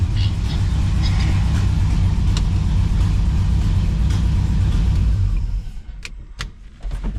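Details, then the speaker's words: 1978 Chevy Camaro drag car V8 after rewiring, battery relocation and new starter, just fired up: heavy lumpy uneven rumble with sharp pops as revs drop; popping and banging from ignition timing being off, needs adjusting. "Timing is off. It's popping and banging, but it is done."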